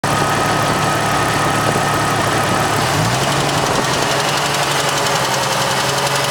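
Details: Jeep Cherokee XJ 4.0, 200,000 miles, head overhauled 40,000 miles ago: a faint fast tick over steady running, only at 1500–2000 rpm, cold or warm, seemingly from the right side; manifold gaskets replaced, no exhaust leaks; source unknown.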